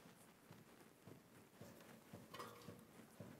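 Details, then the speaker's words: Multi-link suspension, wheel rocked by hand: dull even knocks about twice a second, first suspected wheel bearing but traced to worn original upper control arm bushing. "Nie, to nie łożysko, ale poczekaj. Całość wyraźnie się porusza. Znajduje się on na tulei, górnym wahaczu."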